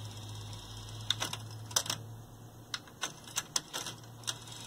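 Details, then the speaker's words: Sony TC-WR820A dual cassette deck, after transport service, belt and gear replacement: quiet motor hum and crisp clicks as heads engage on play with tape sensor pushed, deck flips into reverse; normal transport operation. "and you press play and you see it engages there goes into reverse"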